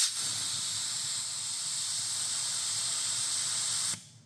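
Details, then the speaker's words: Jun-Air UltraQuiet air compressor with small reservoir, tank vented manually after building pressure: a sharp, even hiss for about four seconds that cuts off cleanly as the tank empties; normal venting. "it's a small Reservoir so luckily it builds pressure and it removes pressure quickly there we go"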